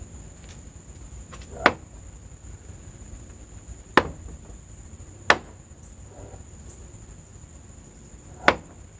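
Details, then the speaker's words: Bitter SC door knocking: four sharp knocks as the door swings through its detent positions, from the door check (catch) mechanism, likely a worn rivet or loose mounting to the door. "That noise comes from the door catch."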